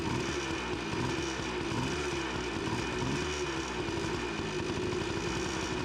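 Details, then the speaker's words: 1993 Yamaha RT180 two-stroke trail bike, first start after fixing no-spark: steady raspy idle with even firing, no misses or knocks; runs properly, a little fuel seen leaking. "she is freaking alive yes heck yeah dude we're looking a little bit of fuel but yeah dude that's awesome heck yeah"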